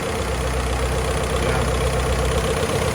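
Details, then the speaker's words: 1949 Willys Overland Jeep on first start after an engine rebuild, with valves adjusted and timing set: steady, even low rumble with no knocks or misses; the engine idles smoothly, normal idle. "But as you can see, the motor's idling nice and smooth."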